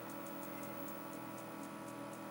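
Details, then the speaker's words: Zenith Z1510J "Bug Eye" TV during restoration, no vertical, rolling picture; faint sharp ticking about four per second over hum and whine; owner suspects arcing inside damaged vertical linearity control with broken, stiff shaft. "like almost an irking sound coming from somewhere around in here I think it might be a bad vertical linearity control the shaft is kind of broken off on this and it's really hard to turn I think it might be some arcing inside that control"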